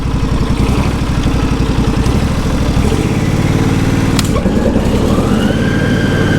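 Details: John Deere SST16 zero-turn mower with 253 hours, not run for about 5 years, now running at full throttle. Steady, even engine beat with no knocks or misses. It idles slightly rough, and the owner suspects bad gas.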